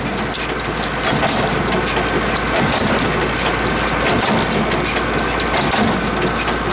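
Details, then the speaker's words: PTO-driven hay baler idling; a heavy clunk makes the chain pause and drags the drive. "That shouldn't hit so hard. It's just idling right now. It should be real smooth. You watch the chain. When it hits hard, it pauses."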